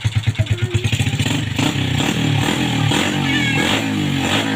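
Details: 2007 Vega R motorcycle after its carburetor was cleaned out with a wire and blown clear to cure hesitation and coughing: engine blips, then holds a steady, even rev with no misfire; runs smoothly.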